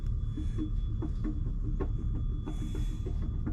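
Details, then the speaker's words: Caterpillar ACERT diesel truck engine running: deep rumble with thin steady high whistle from the turbo; turbocharger failure, turbo to be removed. "That is not a good sound to be coming out of the turbo."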